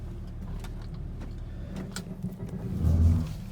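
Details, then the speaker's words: 2008 Volvo XC90 after a CV joint replacement pulls away with only a low, even road rumble. There is no more clicking or clanking, the suspension noise is gone, and the Haldex all-wheel drive works again. "Oh my gosh, it's smooth now. So my all-wheel drive is back. No more click sound. The suspension noise is gone too."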